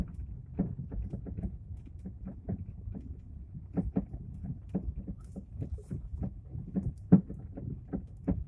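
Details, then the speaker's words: Lada Vesta, 152,000 km: irregular hollow knocks and thuds on every bump while driving deliberately over a bad road to make it louder; severe front-suspension knock, owner cannot identify the cause. "Специально еду по плохой дороге, чтобы было сильнее слышно. Но это капец, конечно."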